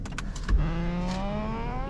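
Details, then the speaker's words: 2019 Ford Mustang GT, power driver seat moving back via easy entry/exit, recorded from outside car: clicks then thin rising squeal as seat leather rubs center console, intermittent for about a year. "it's basically the leather seats are rubbing against the center console and does it sometimes sometimes doesn't do it but it's been happening for i want to say about a year or so occasionally here and there"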